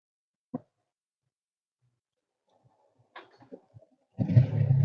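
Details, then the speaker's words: Honda SP125 with check light and random multiple-cylinder misfire code: with the faulty adapter removed and connected directly, a click then the engine starts well and settles to a steady, even idle; the adapter was the fault. "So இந்த adapter நம்ம வந்து கழட்டிட்டு டைரக்டா புடிச்சு start பண்ணும்போது நல்லாவே start ஆகுது so இந்த அடாப்டர் தான் கம்ப்ளைன்ட்"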